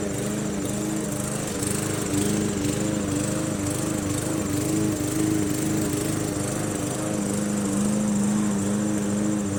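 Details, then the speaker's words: MTD Yard Machines 20" push mower, Briggs 300E, cutting grass after carb clean, throttle spring adjustment and draining water from the gas tank: steady drone holding even pitch, no dips or stumbles; normal running under load. "it was just a simple car clean and throttle adjustment with the throttle spring had a little water in the gas tank and we cleared that blew it out and it runs pretty good"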